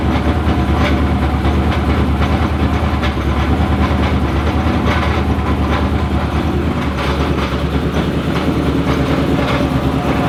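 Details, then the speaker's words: 2000hp twin-turbo methanol Corvette, cold start needing help: a lumpy idle with a fast steady rattle of about three beats a second from the torque tube. It is bad only at idle and clears above 2,000 rpm; fuel and oil pressure are good and it isn't smoking. "The torque tube just sounds bad. As soon as it gets over 2,000 RPMs, it clears up. I know y'all can hear how bad it sounds. Really just does it bad at idle."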